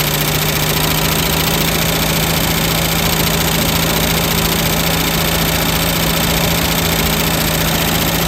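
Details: 1967 Lincoln, first start after lifter replacement: loud racket at first while the lifters pump up, then a fast light tick remains at idle. The original lifter noise is gone, but a quieter lifter tick is now on the driver's side.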